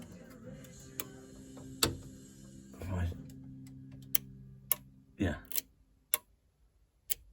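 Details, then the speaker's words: Rally car wiring: sharp single clicks at irregular intervals as the spotlight relay energises and releases when the spotlights switch on and off, though the switch itself fails to activate them. "That's the relay clicking on and off when the spotlights are going on and off."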